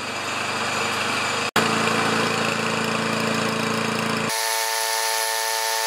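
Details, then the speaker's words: Self-propelled Lawn-Boy mower with Kohler engine, after carburetor cleaning, new air filter, clean plug and working choke: steady even small-engine drone at constant speed with no misses, surging or rattles; runs normally. "thank you sounds great all I got left is an oil change"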